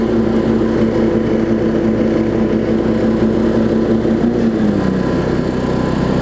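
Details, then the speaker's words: Weed Eater riding mower with a 16.5 hp Briggs single-cylinder engine. Even, steady putter at a constant tone that eases slightly near the end. It runs well and drives. "okay we have a good running mower here and it drives we knew that"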